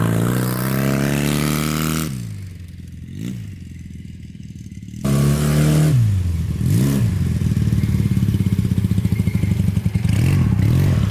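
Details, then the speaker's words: Honda trike with CM400 twin after two hours cleaning badly clogged carburetors (owner suspects it ran on one cylinder before): clean blips then a long rising rev held steady, revs out freely with no stumble. "oh yeah she revs out now I mean it's not the fastest thing in the world but it's pretty fun"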